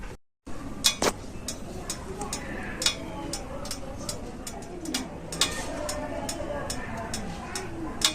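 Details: New Honda motorcycle just switched off after running warm: scattered sharp ticks every second or few seconds as the engine cools; normal, nothing wrong.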